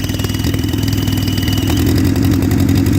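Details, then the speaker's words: 1958 Oliver 550 gas tractor running poorly after valve adjustment and distributor check: low uneven chuffing idle smooths out when WD-40 is sprayed around intake port, revealing a large intake manifold-to-head vacuum leak. "And you hear it smooth right out. So we've got a big leak where the manifold is attached to the head. That's a large part of our problem."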